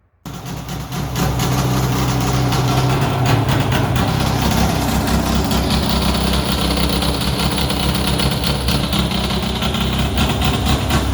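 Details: Polaris XC600 snowmobile two-stroke, just rebuilt with new rings, cold, idling fast: harsh, raspy idle with sharp puffs about four a second, super loud because the exhaust gasket is missing; exhaust leak.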